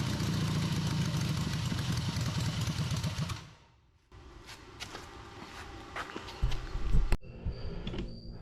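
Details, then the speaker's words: Harley V-twin in an off-road trike build, first run after the owner's own engine rebuild. A loping idle at about two beats a second holds on its own, then dies out, with no knocking, carb fitted. It ran after the timing was significantly advanced; normal idle. "Wouldn't have believed it myself, but yep, it actually started and ran. Didn't run too bad either."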